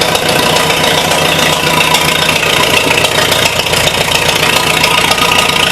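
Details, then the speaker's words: 1953 Super H tractor, out of gear, a screw on the bottom dripping: loud, fairly steady idle with a slightly uneven beat around two per second, no knocks or rattles; runs pretty decent. "thing runs pretty decent let me see if I can tighten this up"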